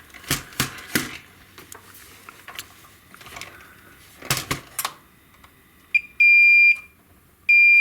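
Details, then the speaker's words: 25-inch Hantarex Polo arcade monitor chassis repair with a suspected shorted MOSFET: multimeter continuity test gives two long, steady high beeps, the connection is good so that is not the fault. "okay continuity is fine hm so that's not the problem"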